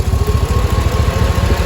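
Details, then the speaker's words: 6.0 LQ9 V8 after head gasket, valve job and lifter replacement, first start: steady, even idle with no lifter tick. A small exhaust manifold leak remains from broken and missing bolts. "A lot smoother than it did before. I don't hear that lifter anymore. It's just an exhaust leak."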